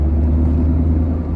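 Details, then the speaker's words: Tata Nexon while driving: deep steady drone and rumble rising with speed and louder in turns, like a helicopter; owner identified a faulty front wheel bearing, later replaced. "तो initially मुझे यह तो समझ में आ गया कि आवाज से कि भाई जो मेरी गाड़ी के बेयरिंग है वह फॉल्टी है मतलब हमारी गाड़ी के बेयरिंग खराब हो गए हैं क्योंकि यह आवाज जो है जनरली बैड यरिंग से ही आती है"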